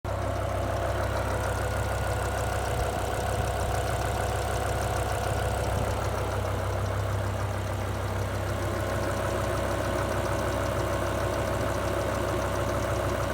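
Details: BMW M5 E60 S85 V10 at idle, ticking began about 60 miles after rod bearing replacement following an oil change: smooth idle with light quick ticking over the hum; owner suspects a lifter; no warning light, runs well.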